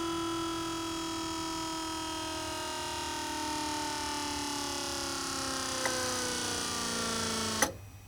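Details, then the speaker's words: Buick Grand National Powermaster brake pump after replacing a bad, fluid-leaking pressure switch: pump whirs with falling tone several seconds then shuts off cleanly, no repeated clicking or short cycling; new switch working normally. "See it shut off, no clicking, motor doesn't run for a second and shut off and like it did earlier. That's a good switch."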